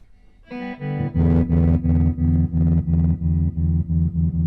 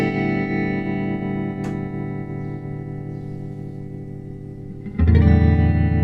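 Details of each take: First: 1964 Fender Concert guitar amp after replacing the LDR to fix a weak tremolo: chords pulse deep and even at about three beats a second, a strong, steady tremolo. Normal tremolo after repair. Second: 1964 Fender Concert amp tremolo, after ticking cap fix and before LDR replacement: held guitar chord with only a faint, barely pulsing volume wobble; tremolo too weak, unchanged by new preamp tube, fixed by replacing the worn LDR.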